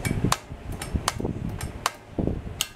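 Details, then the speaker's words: 2004 Kubota BX23D in neutral, PTO off: single sharp clicks about every three-quarters of a second with no cranking; the solenoid isn't pulling in, blamed on resistance in aged safety-switch wiring, fixed by adding a start relay. "you can hear it click but it's just not it's not enough power to uh pull the solenoid up"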